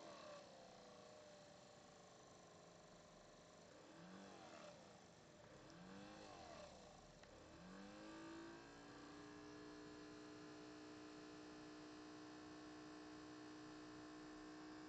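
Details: Brand-new Alienware M11X laptop doing almost nothing: whir climbs to a steady high whine with the fan stuck at full speed from bootup through Windows, rarely stopping. Loud fan, cause unknown.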